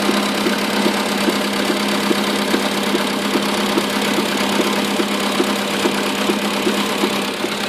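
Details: Skoda Rapid 1.6: a steady stream of light, even knocks, about three a second, over a faint hum; a knocking steering rack.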